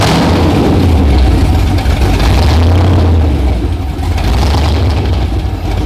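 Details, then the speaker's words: LS V8-swapped Nissan R32 GTR, warmed up, idles deep and lumpy at about 700–800 rpm after the idle was turned down low. Steady burble with no knocks or misses; normal idle. "got 800 RPM it's all 700 700 800 RPM it's already warmed up too"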